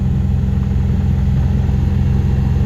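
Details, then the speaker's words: Centurion engine that sputtered and quit off throttle, run on injector cleaner in a small container, suspected bad fuel: suddenly cleared up to a steady, even low rumble at idle with no misses, stumbles or knocks. "the engine just completely like cleared up it's running perfectly well mostly smooth"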